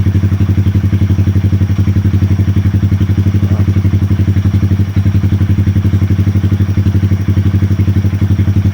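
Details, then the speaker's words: 2020 Honda Grom 125 after ECU and TPS resets, relearning sensors at idle for five minutes: steady single-cylinder idle with an even thumping beat, no misses or hunting; smooth and settled. "I'm gonna leave this for 5 minutes to relearn again all the sensor, and the engine will be running nice and smooth."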